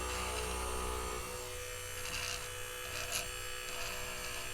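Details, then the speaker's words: Central Machinery bench grinder on its speed dial at minimum setting: low steady motor buzz with light grinding contact, no bouncing or rhythmic knock, running smooth. "so that's at the minimum setting and there's no bouncing it's just pure grinding"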